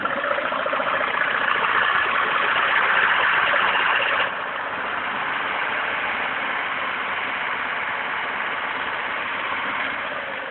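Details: VAZ 2109 idling with a steady light tapping knock from the engine; the cause is unclear.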